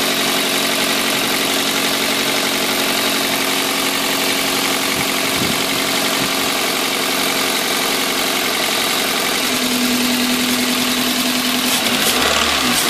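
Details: 2004 Toyota Corolla 1.8L 1ZZ-FE: rough idle with a dull knock every revolution that eases when one injector is unplugged to cut a cylinder; rod knock from bad connecting rod bearings, fixed by replacing bearings via oil pan.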